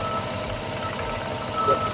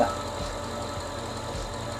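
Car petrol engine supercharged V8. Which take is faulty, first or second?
first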